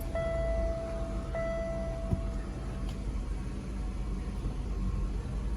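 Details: 1998 Oldsmobile Aurora V8, long-sitting project car, after fitting new sensors, not yet at temperature: warning chime over a steady, even low idle with no surging or hunting; normal idle.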